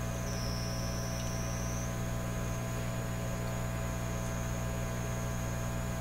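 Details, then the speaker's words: Canadian Admiral J104X/J105X console tube amplifier, grounding capacitors removed but oscillation persists at different frequencies per channel, screaming through the output transformers into 8 ohm speakers: loud deep hum with thin wavering high squeal. "so I took those those grounding capacitors out but the oscillations are still there clearly coming from two different frequencies from each Channel so I'm going to squeal in a way"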